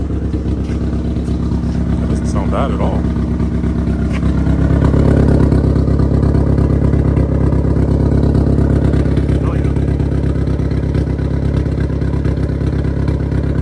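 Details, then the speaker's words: Newly built 3-inch oval exhaust at idle: sharp, even puffing tick about three per second on the exhaust note; exhaust leak felt up front, to be fixed. "There's definitely an exhaust leak up here. Yeah, I can feel it. So we'll have to fix that."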